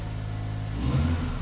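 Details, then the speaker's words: Freshly rebuilt rotary engine, first start and revving after a same-day rebuild: a smooth buzzing hum rises evenly with throttle, no knocks or rattles, some smoke; normal healthy revving. "we have takeoff oh my god how smooth is that sounds that is so smooth"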